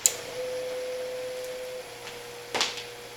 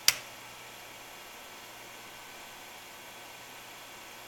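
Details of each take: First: Fan motor on modified sine wave inverter power from a converted APC Smart UPS 1500, fan on low and on battery: it slows and makes a steady, fairly high horrible buzzing; the fan, not the inverter, makes it, as the motor wants a sine wave. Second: APC Smart UPS 1500 converted to a sine-wave inverter on battery at 120.7 V, 60 Hz, running an electric heater on fan setting: soft, even airy hiss with no hum or buzz, a quiet, normal fan.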